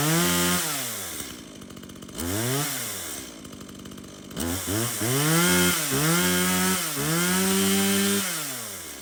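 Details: Stihl MS170 chainsaw, reported as a no-start, bought 13 months earlier and apparently unused; run on its original fuel with a full bar oil tank, outdoors. It fires up cleanly, revs crisply and returns to a steady idle: it starts, runs and oils normally.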